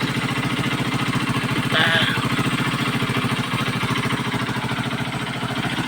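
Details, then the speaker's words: Kawasaki Boxer motorcycle idling evenly and steadily after converting to a Lifan 110 4-pin CDI and adjusting idle; it previously ran rough like a horse and stalled. Idle is a bit high but no longer stalls; only an exhaust leak remains. "So hindi ko na po hinahawakan yung idle at medyo malakas lang no pero hindi na po siya namamatay"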